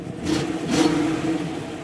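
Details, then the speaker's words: Older car with a reportedly replaced engine (age and miles unknown) and a shot exhaust, started and given two quick throttle blips that rise and fall cleanly with no knock or clatter; the engine sounds healthy. "go ahead start it up the most important part right there it's got a good engine let's see wow sounds good right give it a little love"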